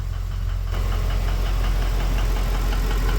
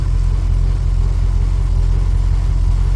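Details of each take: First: Ford BA Fairmont V8 after timing chain job, warm idle: steady deep knock about four per second, not from the timing front, seemingly centre of engine; owner suspects worn piston pin, unconfirmed. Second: Ford BA Fairmont V8 after timing chain replacement, just restarted: steady smooth low idle rumble, previous continuous tick-tick rubbing gone at idle; normal idle after repair.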